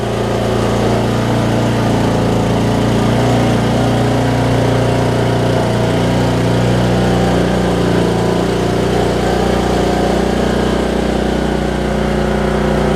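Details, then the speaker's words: 2007 Craftsman LT2000 riding mower, Briggs and Stratton single, sat a while and backfired on earlier starts, now running: steady, even single-cylinder putter with constant low hum, no misses, pops or backfires; normal idle. "Sounds pretty darn good, don't it?"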